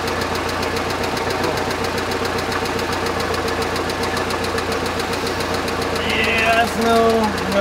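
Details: Budget boat engine after teardown and rebuild attempt: ticking returned and turned into a hard irregular knock about two to three times a second over a loud steady run, coming and going; owner suspects bearings destroyed again.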